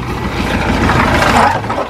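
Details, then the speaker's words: Air-cooled VW Combi after electrical work, carburettor cleaning and ignition timing set (previously bogged at full throttle with retarded timing): steady, smooth idle with no misses, now stable and accelerating well. "pero ya el motor se escucha mejor de hecho ya acelera bien"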